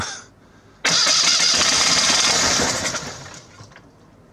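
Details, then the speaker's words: Citroën Acadiane bought unseen in Germany, started cold on a December day after its ignition wires were reconnected (car thought to have electronic ignition, not points): catches with a loud rush, then runs rough and lumpy at about three beats a second before fading, firing on only one cylinder. "Tim yes the engine works but is running on 50% of all its cylinders how many is that only one it's running on one cylinder"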